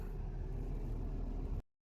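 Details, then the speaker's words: 2014 Nissan Xterra after replacing the knocking AC compressor and the condenser, then vacuuming and recharging: a brief, low, even engine-bay hum with no knock or rattle. The AC now blows cold; normal running. "So malamig na yung AC. Tsaka ang problema kasi nito maingay yung compressor. May knocking noise. So okay na siya."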